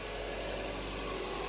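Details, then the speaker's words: Subaru Impreza EJ20 after replacing the timing belt, water pump and drive belt, with all bolts torqued and the timing checked: it cranks, then starts and settles into a smooth, even idle with no knocks, ticks or belt squeal. Normal idle. "okay sounds good try again that's a good sound now i will try to start now there you go"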